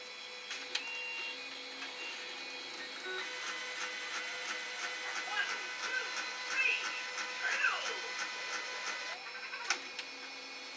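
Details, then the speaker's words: Inkjet printer whirs and clicks through a print job, with rough grinding bursts at one point along the print head's travel. "So when the print head hits about right here, that's when it made the sound."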